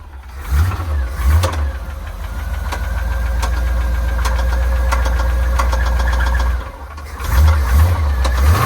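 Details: Square body Chevy dump truck with small-block V8, oil found about 3/4 low and topped up before starting: rough idle with a loose, uneven low knock, about three to four a second, then the engine stumbles and dies; possibly bottom end, teardown to find the cause.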